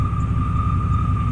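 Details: 1995 Chevy Silverado K1500 Z71 after a jump start from another vehicle: a steady high-pitched whine over a deep, rumbling idle that goes away and comes back; abnormal idle whine of unknown origin.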